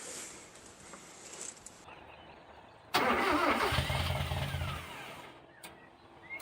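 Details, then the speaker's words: Mazda B2200 with swapped Kia FE3 engine, first start attempt after a starter problem on the last try: starter cranks about two seconds with an even chugging beat but it never catches; a leaking fuel fitting found afterward. "Let's see what happens this time. We crank over. I think it wants to start."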